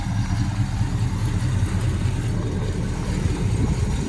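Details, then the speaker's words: 1970 Pontiac GTO V8 on first start in years, dual exhaust: deep, even burble and steady low rumble with no knocks, ticks or misses, running fairly quiet; normal idle. "he cranked right up he's running she's just sitting here purring looking good not bad for a first start"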